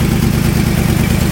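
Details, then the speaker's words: 1996 Ford F-250 idling with a bad exhaust header: loud, rough idle with a sharp puffing pulse on every firing, the raspy tick of an exhaust manifold leak at the header. "I'll start off so you guys can hear it wrong exhaust still sounds like crap because it's got a bad header but"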